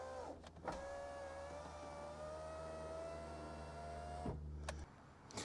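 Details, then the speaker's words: 1991 Alfa Romeo Spider passenger-side window, final test after a new Centerline motor with the door panel refitted: a steady, even hum for about four seconds with no grinding, catching or slowing, a smooth, healthy window. "and that is a wrap window is perfect now this one was not working at all"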